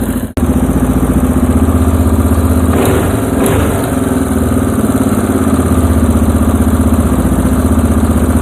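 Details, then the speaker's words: Moto 4 ATV during restoration, carburettor mixture screw being adjusted in half turns after a big miss: single-cylinder idle thumping at a steady beat with no dropouts or stumbles; mixture sounds right, runs clean. "No miss. So far so good. So we're heading the right direction."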